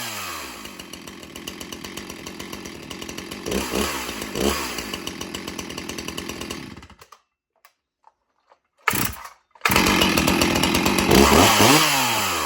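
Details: Stihl MS361 Farm Boss chainsaw with 20-inch bar: crisp, even high-pitched buzz that holds steady, stops briefly, then picks straight back up cleanly; saw runs healthy.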